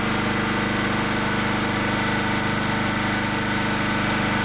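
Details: Second-hand generator with a new carburetor but a mucky, badly blocked air filter; uneven lumpy running with a hunting beat about three and a half per second; rough running from the blocked air filter.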